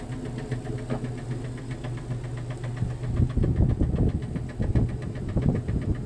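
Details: Jeep Cherokee XJ facelift, 2.5 L four-cylinder petrol engine, skirt broken off the piston in cylinder two: low rumbling idle with a dull, repeating knock underneath that gets heavier midway; piston slap from broken piston skirt.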